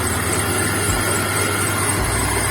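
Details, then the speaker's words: BMW E30 with M44B19 engine at idle after power steering pump replacement with a new Stelox pump and ATF Dexron II (previously green fluid); steady idle, low hum, no pump whine or roller noise, steering quiet and healthy. "nu se aude bisa și rolicul cred. Dacă mergi de un volan, nu se aude nimic. Nu se aude."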